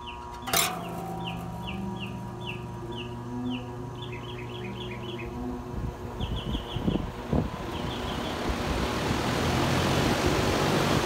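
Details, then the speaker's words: Home AC outdoor condenser fan not starting on its own, failed run capacitor suspected; after solenoid clicks, blade pushed with a cable tie, hum gives way to a rising steady air rush as fan spins. "I'm gonna stick a cable tie in here grab the fan blade and I'm just gonna jumpstart it"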